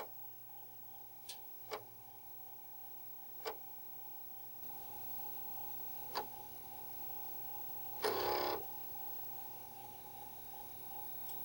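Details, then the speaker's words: Commodore floppy drive fast-formatting the second side of a notched cheap disk: scattered sharp ticks every second or two, then a short buzzy rattle as the head steps tracks; this format was not totally good. "I'm going to try a fast format on the second side new try cheapo too and there you can tell it's clicking away"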